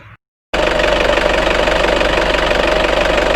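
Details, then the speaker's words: Nissan Terrano with a diesel engine and FS5R30A 5-speed manual gearbox, at idle: a steady mid-pitched whine and rattle over the diesel clatter, which disappears when the clutch is pressed. Owner suspects a gearbox bearing and asks whether it is a warranty case. Unconfirmed. "вообще при выжатом сцеплении когда звук пропадает что это это в коробке подшипника или вообще гарантийный случай или нет"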